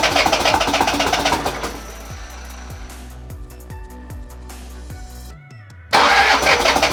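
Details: Toyota Hilux 1KZ diesel, first start after a budget home engine refresh and reinstall: cranks briefly, then catches and settles into an even idle with no knocks or misses; a clean, healthy start.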